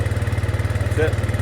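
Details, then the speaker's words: Arctic Cat 400 4x4 ATV, sat a month with a dead battery; after a new battery and a bad starter solenoid found, it runs with a quick, steady low putter at a normal idle. "so the battery was dead took a new battery"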